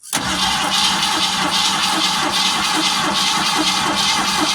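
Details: Original 1971 Ford Torino stored 25–30 years, fuel starved: brief crank with throttle pumped, then catches on 2-stroke-mix gas poured into the carburetor and runs with a busy, slightly uneven rattle.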